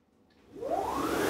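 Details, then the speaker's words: Aluminum-frame CNC machine after straight racks and gears were replaced with helical ones, gantry speeding from 10 to 30 m/min: smooth rising whir settling to an even hiss, no gear clatter; quiet, normal rack drive. "as you can hear almost all mechanical noise is gone and the Machine is smoother this also means that we can run the machine at higher speeds without much mechanical noise"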